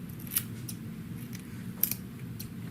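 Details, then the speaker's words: Beveled-edge hair shears after sharpening, cutting dry hair: crisp clean snips, no drag or chatter; passed evaluation though they did not cut well wet. "though it didn't cut good wet, it cuts hair fine for these beveled edge ones."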